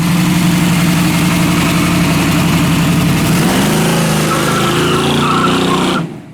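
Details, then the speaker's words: Old 406 small-block Chevy from a four-door Chevelle, carburetor and timing previously tuned; loud uneven idle with a tapping knock about four times a second, a noise that kept recurring; camshaft found moving 40–60 thousandths of an inch, excessive cam end play. "but uh we kept hearing the noise and check this out that thing is moving like 60 thousands of an inch or 40 45 to 60. so that is not good at all"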